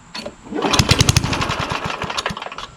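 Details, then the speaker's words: Craftsman push lawnmower with Tecumseh engine, trash-picked, started on starting fluid: catches briefly with a string of sharp pops and uneven firing, then dies; possible blown head gasket feared, dirty carburetor suspected. "hear that pop? That doesn't sound too good. Almost like it's a blown head gasket or something."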